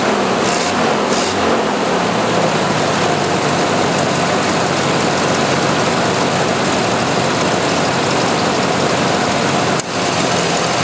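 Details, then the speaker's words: 1986 Jeep XJ 2.5L, engine cold after sitting a week, idle speed control motor repaired: idle bogs and labours unevenly when the air conditioner is switched on, cause unknown. "let me restart it and then I'm going to turn on the air conditioner and you'll hear it bog"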